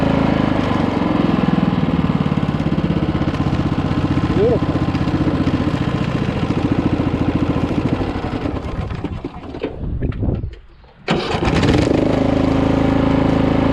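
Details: Poulan PXT12538 lawn tractor started after heavy rain, with the fuel shutoff reopened, gas added and oil checked, gives a steady, even thrum of about four beats a second with no knocks or misses; nothing was wrong with it.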